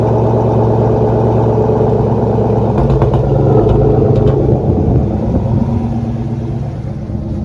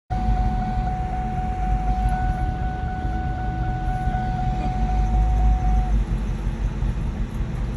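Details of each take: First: 2004 Ford Mustang Mach 1 with SLP mufflers, after its fuel pump inertia switch was reset and fuel flow checked: steady, even idle with a deep smooth exhaust burble and no misfire. Runs normally. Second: 2004 Ford Mustang Mach 1 manual, about 80,000 miles, idling rough: deep uneven lumpy idle, RPM dropping, shifter and transmission shaking, faint whine above; engine hesitating.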